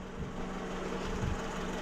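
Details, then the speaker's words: 2001–05 Honda Civic EM2 D17 engine after valve adjustment for misfires: smooth, even low idle with no stumble; scan tool later shows zero misfires once warmed up. "I am shocked at how well that's running now"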